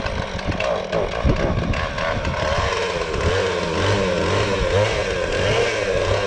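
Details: Husqvarna 450 X-Torq chainsaw with new bar and chain, first start: burbling, uneven four-stroking note, rich on the top end; owner later thinks the carburetor was just out of adjustment (needs special tool); rich running.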